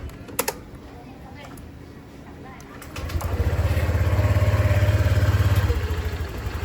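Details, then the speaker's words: Honda Click 125 CVT after belt cleaning and dressing: smooth, even low drone with the earlier belt noise gone, very quiet again; normal CVT running. "Ayan. Sobrang tahimik na niya ulit 'di ba? So wala na yung ingay nung belt."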